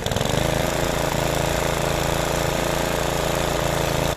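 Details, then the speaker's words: Lawn mower after self-propel drive repair (belt refitted, bearings lubricated, tension spring set): single-cylinder engine runs even and steady, no knocks or misses, cuts off cleanly; drive works, wheels even slip. "Как видим привод вполне работает смотрите даже колёса буксуют видите насколько хорошее сцепление и весь механизм"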